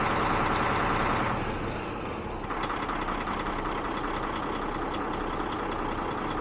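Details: DAF CF diesel after fuel pressure control valve replacement: brief rise then even, steady idle with regular clatter, no misses or hunting; injector correction value dropped about 20%.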